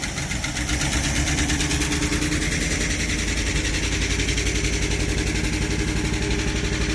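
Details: Abandoned 1973 Dodge truck V8 with points ignition, unstarted for about 20 years, just revived with a warrantied starter and gas poured in. Fast, busy idle with a rough-edged but continuous exhaust beat and no knocks; it runs on its own.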